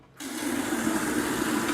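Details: Camplux Nano 3 Pro portable propane water heater used as a camping shower, stream rate set at the top setting. A steady, even rush of water with a faint pump hum and no popping or surging; normal operation.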